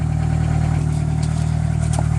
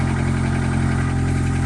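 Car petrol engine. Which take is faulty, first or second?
first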